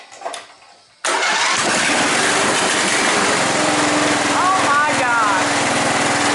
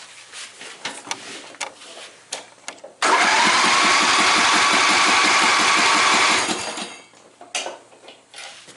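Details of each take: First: John Deere Sabre lawn mower started on choke after a new spark plug and restoring fuel flow to the carb: cranks and catches at once, then settles into a steady, even run with no misses or knocks; normal running. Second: John Deere Sabre lawn mower with new spark plug, choke on, fuel turned on: about three seconds of steady even cranking that never fires; no fuel flowing to the carburettor, fuel-starved; starts right up once fuel flow restored.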